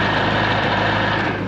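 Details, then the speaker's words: Rebuilt boat engine, after lowering the sterndrive from full trim-up: steady, even drone with no grinding or clatter from the U-joint; cold, thermostat not yet open, warm water flowing; running normally. "That sounds better now."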